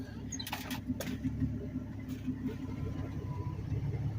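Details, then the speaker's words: Ford farm truck V8 with about 323,000 miles, just run hard, no air cleaner, exhaust leak at head: low steady idle with an occasional faint skip; owner blames vacuum leaks; slight misfire at low idle. "a little skip at low idle but nothing I've got some vacuum leaks"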